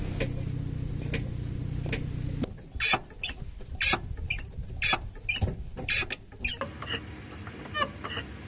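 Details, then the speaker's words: Clutch pedal squeak with the engine running: short sharp squeaks and ticks about once a second as the pedal moves. Possibly a damaged slave cylinder or heavy friction between the fork and the bearing head. Greasing the contact area sometimes fixes it, otherwise the fork may be broken. "clutch este pequeño ruido puede ser porque el cilindro esclavo está dañado otras veces puede ser que haya mucha fricción entre la horquilla y la cabeza de apoyo"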